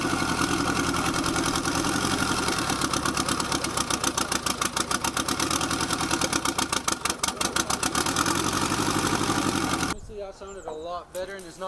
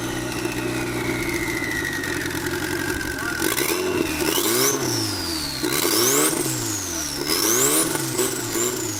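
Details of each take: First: Boosted Nissan KA engine after adjusting ignition timing: engine catches and settles into a steady, even idle with no skips or stumbles, no longer misfiring at idle. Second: Turbocharged KA-engined Nissan 240 running without a tune, timing being adjusted: revs rise and fall over seconds-long cycles with turbo whistle following; check engine light flashing, suspected MAP/air-fuel ratio from no tune. Engine surging.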